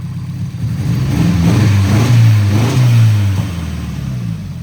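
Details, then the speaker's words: 1989 Nissan 240SX with upgraded 1050cc injectors at 60% duty: low uneven engine note; unplugging cylinder 2 injector causes no change and air-fuel reads lean, so cylinder 2 injector is dead; compression passed. "So, I'm thinking this injector is bad."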